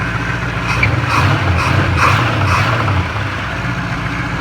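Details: 305 Chevy small block in a 1988 Chevy Caprice, engine swapped just over a year ago, transmission stuck in first gear: V8 idles with a repeating dull knock from behind the engine block; owner suspects flywheel or transmission.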